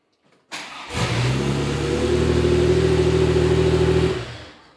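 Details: Porsche 911 with 915 transmission on its new high-torque IMI starter, repeat current test (about 157 A, consistent warm or cold): brief strong crank catching almost at once, then an even steady run; starter and start healthy.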